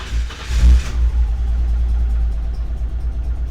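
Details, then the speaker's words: BMW E30 325i forest find, not run in years, after fuel injector rebuild: engine fires with short rev, runs low and uneven a few seconds then dies; owner suspects fuel, plans fuel filter replacement. "she's alive she's alive yes did you hear that she runs and then she dies so we have a running car"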